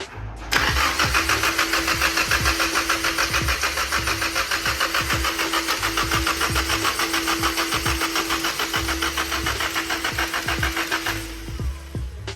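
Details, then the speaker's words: Nissan 240SX S13 with a swapped-in JDM SR20 engine, cranking after the oil pan was flattened and refilled to fix a no-oil-pressure problem: even starter churning about 3.5 beats per second with a steady whine; oil pressure built almost instantly. "Moment of truth. Let's see if this thing will build oil pressure."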